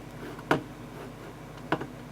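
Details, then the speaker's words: Apple Power Mac G3 Blue and White, 400 MHz, newly fitted hard drive just initialized while booted from the optical drive before installing Mac OS 9.2.1: two short sharp clicks about a second apart over a faint hum; normal seek noise. "yeah we can hear the hard drive seeking so that's good"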